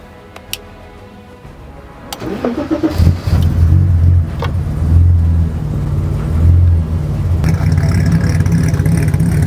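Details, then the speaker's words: 1984 BMW 5 Series E28 with M30 engine, sat unused 5–6 years, after fuel and spark fixes: starter cranks briefly, catches after about three seconds, settles into steady even idle; normal first start. "We're going to actually start this car and let it idle for the first time in 5 or 6 years."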